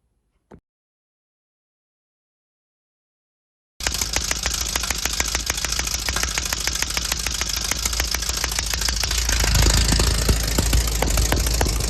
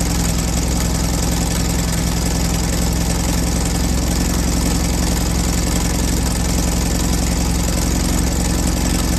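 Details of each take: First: 1968 VW Baja Bug before timing adjustment: after silence the engine starts and runs with an uneven popping beat about 200 a minute; backfire from incorrect ignition timing. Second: 1968 VW Baja Bug air-cooled engine after timing adjusted with a voltmeter to cure backfire: steady, even idle with regular low beat, no pops or stumbles.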